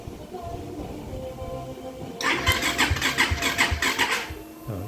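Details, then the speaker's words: Fuel-injected Raider motorcycle right after ECU reset, fuel pump primed; starter churns in steady pulses about 2.5 per second for a couple of seconds before the engine catches and runs; starts after long cranking. "Ayos na mga paps, mandar na. Yung matagal-tagal sa nag-start."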